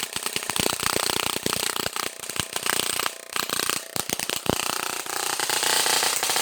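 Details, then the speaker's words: Spark gap on a 100 kV Tesla coil supply set to about 10 cm: loud, irregular crackling snaps several times a second as strong arcs jump the gap, needing nearly half throttle to strike; normal arcing at higher voltage, though an arc was seen inside, probably in the secondary housing. "But the arcs are way much stronger, so you can definitely tell the voltage is a lot higher now."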